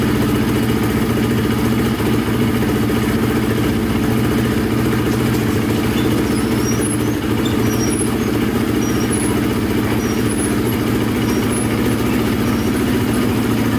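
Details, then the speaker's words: Polaris Predator 500 quad, single cylinder, repaired after wrong timing and a snapped Woodruff flywheel key: steady, even drone at constant speed with no knock or misses, flywheel key intact; pipe burning off residue; running normally. "Alright, so far so good. Looks like it's just burning off stuff on the pipe."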